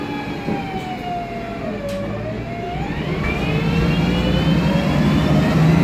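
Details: MAN Lion's Classic CNG city bus, MAN E2876 LUH03 EEV turbo engine, Voith DIWA 864.3 four-speed automatic: siren-like whine sweeps down, then climbs steadily as the bus pulls away over engine drone; noisy Voith gearbox.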